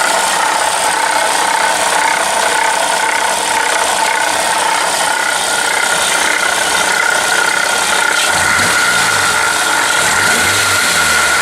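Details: 2007-2013 Toyota Corolla: a busy, ratchet-like ticking and rattling from the engine area over a quiet idle. The source is unknown.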